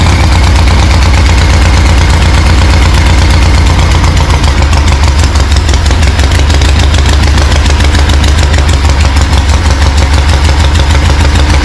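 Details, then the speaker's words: 1974 Harley-Davidson Ironhead chopper, not run in 15+ years, no exhaust pipe fitted: loud lumpy uneven V-twin beat, about three pulses a second, sputtering and coughing, blasting debris on first start. "see if she's gonna fire up today oh she's blasting all sorts of stuff out"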